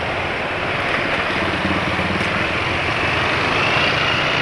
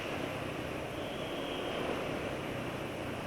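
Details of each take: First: Suzuki Satria 120R with aftermarket exhaust, Adnoc S3+ oil with additive after about 75 km, Pertamax fuel: loud raspy buzzy note with harsh edge, rpm dropping fast; runs rough, owner blames oil. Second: Engine running on Adnoc S3+ oil after adding 2T side oil: smoother, noise from the front of the engine reduced; even, steady run with no knocks or rattles.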